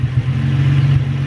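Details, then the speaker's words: Nissan 350Z idling rough with an uneven, stumbling pulse and dropped beats; code read misfire, initially cylinder 1 then cylinder 3 after coils were swapped; owner suspects spark plugs or coil packs, plugs replaced, cause not confirmed. "I can already tell it's running rough and it sounds like it's running a different ruff"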